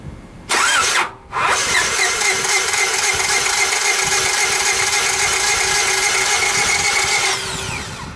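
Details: Distributor-equipped car cranking with a broken or loose timing belt: the starter spins fast and freely with an even, high whir for about six seconds, meeting less resistance than usual, and the engine never fires or catches.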